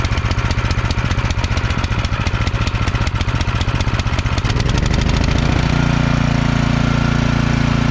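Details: Cub Cadet two-stage snowblower, after fixing a no-start caused by congealed ethanol fuel and refilling with fresh gas, pulled at slightly below full throttle: a few rapid pull-over chuffs, then it catches and runs steadily with no misses. Normal start.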